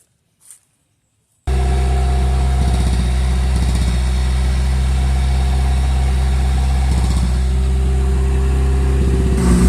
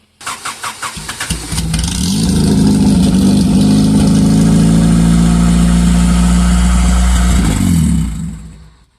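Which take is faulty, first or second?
second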